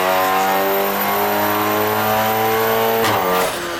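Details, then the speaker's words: VW MK8 Golf R on a dyno in a cold cell, fitted with a prototype Turbo Technics hybrid turbo (Stage 3): hard-pulling four-cylinder under full acceleration with a fluttering, chattering note at lower RPM, compressor surge; still made 500 PS. "Now what you just witnessed there was compressor surge at the lower RPM, and that was under full acceleration as well, so it's not ideal."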